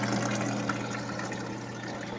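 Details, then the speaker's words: Swamp cooler pump running: steady low hum with water trickling and splashing as water seeps down through the pads on both sides; normal pump operation. "All right, pump is working. Water is starting to seep down through there on both sides."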